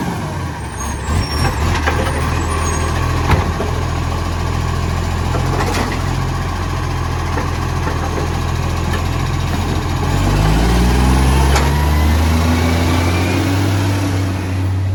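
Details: Brisbane garbage truck BSW775 diesel: deep rumble with a rough, puffing beat on top, suspected exhaust leak, not confirmed.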